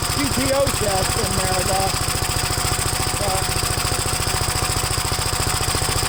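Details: Gravely single-cylinder engine at first start after gas tank install and new battery terminal: fast, steady thumping beat, slightly uneven, holding one speed on choke; choke later turned fully off and it runs all right.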